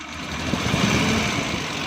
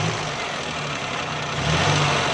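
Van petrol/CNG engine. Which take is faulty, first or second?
first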